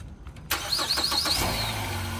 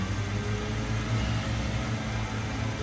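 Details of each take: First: 2010 Ford Fusion, jump box connected: brief crank, then engine catches quickly and settles into a steady idle; starts right up on the jump. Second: 2015 Chevrolet Camaro at auction, started on a jump box: smooth, even low hum at a steady idle with no knocks, ticks or misses. Normal idle.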